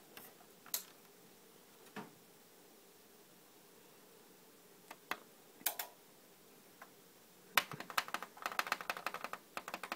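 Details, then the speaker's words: Faulty surround sound receiver, fuses good, suspected burnt part and random loose ground: sharp dry clicks, scattered then an irregular flurry, no audio; clicks when wiggled near a green transistor, sparks seen; cause unconfirmed. "nothing just clicks and clicks and clicks but I did see some Sparks over there"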